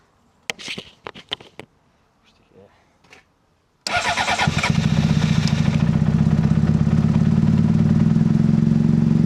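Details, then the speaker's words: 2005 Honda CBR600RR started after dead battery was charged overnight and refitted, fuel pump primed: a few clicks, then it fires and holds a loud, fast, steady rev instead of dropping to idle; owner suspects throttle is stuck. "I think his throttle has got a bit stuck."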